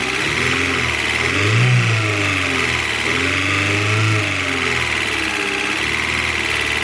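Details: Alfa Romeo 147 Twin Spark just restarted after misfire repair (new valve seals, timing belt, cleaned oil-fouled coils): idle wanders slightly with small speed rises, still settling but fairly steady; normal idle.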